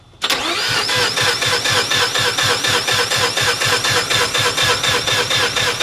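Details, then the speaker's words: Weak, slow starter cranking (about 80 pulses a minute) with no firing on a 1993 Mazda RX-7 FD: factory-spec rebuilt 13B-REW rotary, T78 turbo, Power FC, custom fuel system. First start after years; owners suspect a low battery, possibly causing low fuel pressure. ">> Yeah, it still sounds weak, too."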